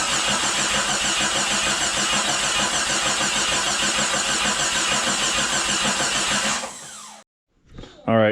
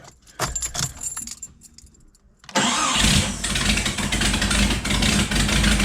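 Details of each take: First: Remanufactured 4.0 engine just installed in a Jeep Cherokee XJ, dry-cranked with the coil pack unplugged to build oil pressure, steady starter whir with even pulses and no firing; smooth normal crank, exhaust not yet bolted together. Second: Remanufactured 4.0 engine in a Jeep Cherokee XJ, after install, cranks, catches and idles with a sharp, fast ticking puff on every firing pulse; bad exhaust leak at the manifold, bolts to be tightened further.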